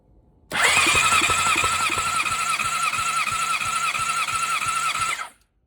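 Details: Honda CBR600RR PC37 motorcycle cranking on the starter without firing, steady starter whine with about three soft compression pulses a second; unexplained strange noise, compression and valve test being done.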